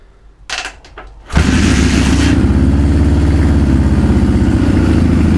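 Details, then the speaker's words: Suzuki GS550 four-cylinder cafe racer first start after fixing shorted points wire and swapped coil wiring and adjusting jets: starter whirs, then lumpy, uneven loping idle; carburetors unsynchronized, needing a carb synchronizer. "Next stage now is to put a carb synchronizer on, so I can get all the carbs running at once. It sounds like shit at the moment."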